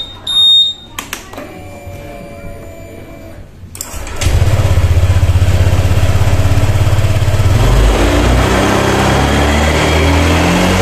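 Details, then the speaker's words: Honda Vario 150 scooter revved: uneven, stuttering pulse with power loss and hesitation at mid and high rpm, traced to a misadjusted throttle position sensor; fuel pressure checked against a normal 42 psi. "Oke jadi mengalami kasus seperti barusan ya ketika RPM atas seperti hilang gas dan muncul mbet pada Honda Vario 150 ini"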